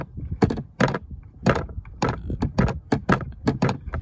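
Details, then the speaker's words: 2001 Chevy Tahoe with no heat, blend door actuator removed: uneven hollow clunks about two a second as the blend door hits a loose object, likely a fallen screw. This limits its travel to about 20%. "hear that something must have fell up in there and it's blocking the way"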